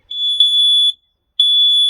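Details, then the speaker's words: Two long, piercing high beeps from the smoke alarm in a self-build VW Crafter campervan during a lithium leisure battery install; no smoke found, alarm silenced, and its own low battery is suspected after a couple of years. "so it's showing smoke so we'll silence it for now"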